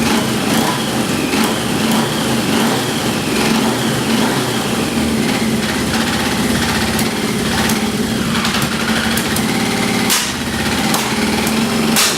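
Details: XJ650 engine running after its fluid-fouled plugs were dried: busy, raspy multi-cylinder running with a sharp ticking chuff at every firing, pointing to an exhaust leak rather than a sticking valve.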